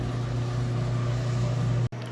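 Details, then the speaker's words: Whirlpool top-load washer draining after the wash, before the clean-water rinse and final spin. A steady low pump hum with rushing water ends in a clean cutoff: normal drain. "but for now it is draining out next it'll spin out fill up with clean water to rinse and then we'll be on to the final spin cycle"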